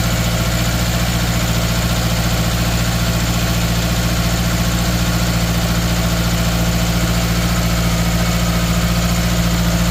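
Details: 2013 Subaru Outback 2.5 with a cylinder 3 misfire: steady idle with an uneven, loping beat about three to four times a second, a stumble from one cylinder missing.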